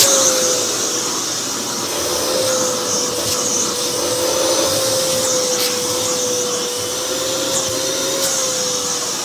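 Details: Vh2o turbo canister vacuum with four-speed motor, run for the first time in over a year and stepped through speeds: steady high motor whine with even airy rush, holding pitch without surging or rattling; motor runs healthy.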